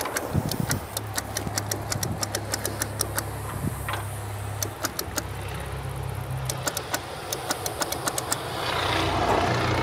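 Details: 1962 AMC American Rambler, locked-up engine sitting about 50 years, rat-nested: starter hums steadily with scattered clicks but no cranking rhythm; engine seized, starter getting warm.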